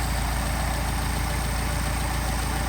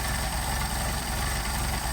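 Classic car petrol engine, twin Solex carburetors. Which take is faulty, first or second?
second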